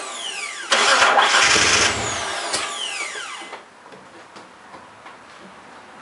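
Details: Mitsubishi 3000GT with new starter and battery: starter spins the engine briskly for about a second, then a high whir winds down with no firing; cranks but won't start.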